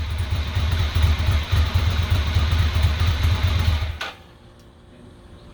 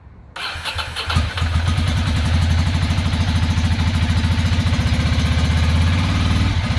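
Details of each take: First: 2006 Ducati Monster S2R 800 after new fuel pump and cleaning a clogged front-cylinder injector that had left it running on one cylinder: even, steady V-twin idle with regular firing beat, no missed pulses, before shutdown; normal running on both cylinders. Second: 2006 Ducati Monster 800 with a new fuel pump: catches and idles lumpy and uneven. The front cylinder is not firing and only the rear is getting hot; owner suspects a clogged injector and will swap injectors to test.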